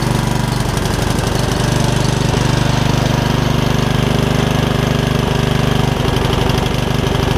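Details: Yard Machines riding mower single-cylinder, revived after its engine filled with water, chugs loudly and unevenly at about 214 beats a minute with stumbles. The owner suspects it is running rich, notes a rust cloud, and says the valves still need gapping.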